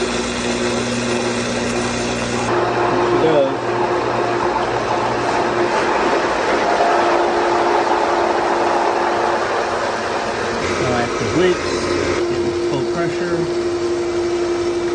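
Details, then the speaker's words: Pool pump 240 V replacement motor test-run after installing it, before reassembling; steady mid-pitched hum with constant tone over water rush, no grinding or squeal; old motor was corroded and tripped the breaker; normal running. "before I put that back on the motor I want to make sure I hear a nice motor hum okay yep okay sounds good"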